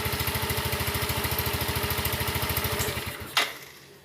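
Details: Scooter with CVT after a CVT service and reassembly, test run: quick even putter, roughly three pulses a second, steady and regular until shut off; healthy small engine idling normally.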